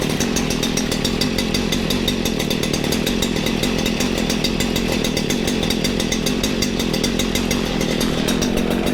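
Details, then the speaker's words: Stihl FS94 two-stroke trimmer after recoil replacement, burning off bad fuel before tuning: low, slightly uneven idle with fast steady crackle; probably running rich, not confirmed. "it sounds like it's running a tad low and rich probably just rich because if it's too rich that our engine speed and idle can be pretty low"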